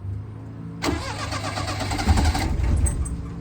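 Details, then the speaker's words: 1988 Daihatsu Hijet carbureted mini truck, sat for years, hot after running rich: steady cranking at about four turns a second, nearly catching but not firing; hard hot restart, its longstanding problem. "before that was the big issue if I could get it running once it been running for a while it wouldn't restart so let's see if it restart now"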